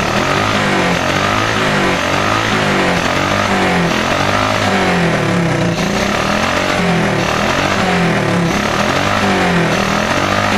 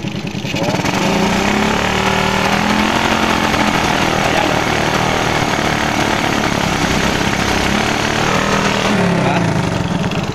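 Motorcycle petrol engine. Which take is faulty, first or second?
second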